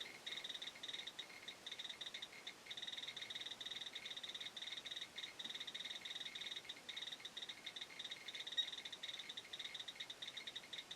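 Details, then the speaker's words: BR-6B Geiger counter on a sample: rapid, dense stream of fine ticks on a quiet background, normal Geiger counter clicking. "right so I'll turn the selects off now for a little bit and so you can just listen to this guy yet ticking away"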